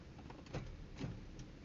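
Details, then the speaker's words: 2001 Lexus GS300 after water pump replacement and sitting 2 months; an old battery cranked slowly then it locked up. With a new battery, turning the key gives one faint click and no cranking. Owner thinks the engine is seized; a breaker bar didn't free it. "But now I fixed it, got the water pump changed, and now the engine is ceased, and like it makes a click noise."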